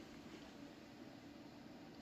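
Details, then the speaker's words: HP Pavilion P6000 series desktop: steady, even rushing whoosh with no speed changes, case fan stuck at high idle instead of settling down. "Fan's stuck at high idle."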